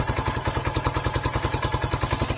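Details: New 2023 Hawk X 250 with the counterbalanced single-cylinder engine, first start in neutral with choke on and idle turned up slightly: steady even thump about eight beats a second, no misses or knocks; idles cleanly.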